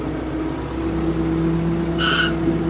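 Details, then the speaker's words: Old Ford P-42 excavator driving, steady diesel drone with one short sharp high-pitched creak; owner says the creaking comes from the hydraulic arm of the steering assist. "That's creeping noise is becoming from the uh this has this uh driving uh I mean uh oh it uh it has this uh hydraulic arm that is making that noise"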